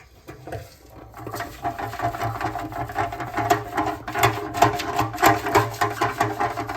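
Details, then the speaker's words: Fuel tank removed from a roughly 50-year-old Honda CL350 Scrambler, shaken and turned upside down: irregular gritty rattling and patter surging a few times a second from loose rust and debris inside. "so when I took this thing off and shook it I could hear a bunch of stuff rattling around in there and I'm going to turn it upside down and just see what comes out of here"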